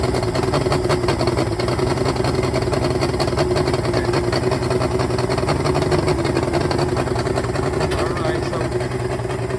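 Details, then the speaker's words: 2004 Yamaha two-stroke fuel-injected outboard, about 400 hours, smoking after owner service with oil premixed in gasoline; uneven, lumpy idle with irregular beats, four ignition coils found not firing when tested at high rpm. "also we found out the four coils were not firing we tested in a high rpm and four of them were not working"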